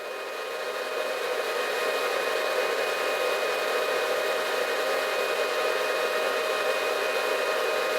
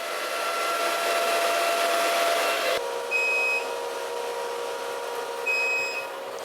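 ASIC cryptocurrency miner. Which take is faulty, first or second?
second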